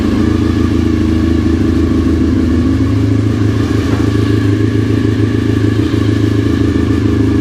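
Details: Honda RC45 RVF750 V4 after spark plug replacement (old plugs very bad; injectors tested fine): steady, even idle with smooth low throb, no knocks or misses; healthy and settled.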